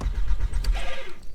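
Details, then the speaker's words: Stolen-recovered Audi A3 S3 replica: short burst of slow, uneven starter cranking that never catches; crank-no-start. "the car is not starting right now which is not supposed to happen"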